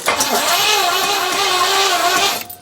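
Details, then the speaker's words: 4.6 litre Rover V8, first crank attempt: steady starter whirr with even compression thumps, no firing before it stops; cranks but won't start, spark plug then found dry with no fuel smell. "Just doing nothing. No. You can hear the compression thump of it as it goes round, but... Let's take a plug out and see if it's wet."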